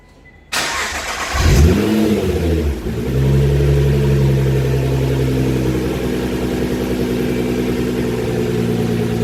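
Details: Nissan GT-R after both left and right dump valves were changed: engine fires up and settles, revs rise and fall with a release whoosh off throttle as the new dump valves vent properly.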